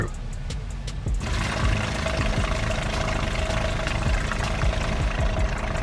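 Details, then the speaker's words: RV water pump switched on after priming with prime valve full and closed to keep air out, while boondocking: steady mid-pitched motor hum kicks in after a second and runs evenly without sputter or surging; pump primed, operating normally. "like you rvers know you when you turn your water pump on you hear it work up to a certain level and then it turns off until you start using water and"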